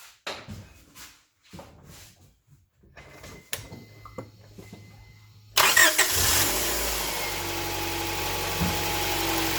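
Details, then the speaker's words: Honda Prelude 2.2L started for a short run to check for oil leaks; quiet clicks, then the engine catches at once and settles into a smooth, even idle with steady firing, firing order sounds nice, normal running. "So you can hear that firing order is nice, works."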